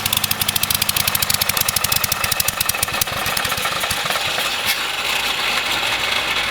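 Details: Kohler K301 12 hp single-cylinder engine, freshly reassembled, on its first run: fast sharp firing beat blurring into a rougher, uneven run while leaking fuel and possibly oil; running on choke, which needs fixing.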